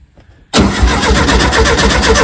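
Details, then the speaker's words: 1970 VW T2 Baywindow camper engine just reinstalled: steady fast cranking with no firing, fuel only starting to trickle through; cranks but no start, apparently no fuel yet, unconfirmed. "okay yeah fuel's starting to trickle through keep going it's not got any fuel yet"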